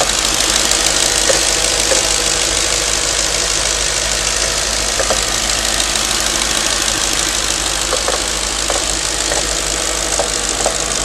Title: Knocking noise after warm up..can anyone tell me?